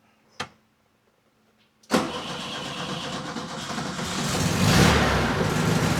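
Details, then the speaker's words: 1967 VW Beetle barn find, off the road 46 years, cold on choke: a click, then the engine catches sharply and settles into a steady, slightly lumpy run as fuel arrives at the untuned carburettor; healthy first start. "Hey, we got fuel now."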